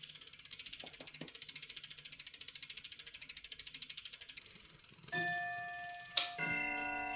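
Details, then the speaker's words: Mountain bike 29x2.1 rear wheel after disc brake pad adjustment: quick even freehub clicking slowing down, no scraping or rubbing from the brake; brake rub sound gone, wheel spins freely. "Now, after more adjustment of the brake using that tool, the sound is gone."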